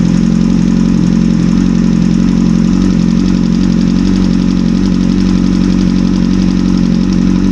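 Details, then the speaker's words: 2009 Kawasaki ZX-10R after a timing adjustment and cam chain tensioner work: steady fast idle with a faint uneven light rattle on top. It sounds better but not perfect, and the cam chain or tensioner is suspected. "To me, it sounds better. Not perfect, but better. So maybe there is a problem with the cam chain or the tensioner."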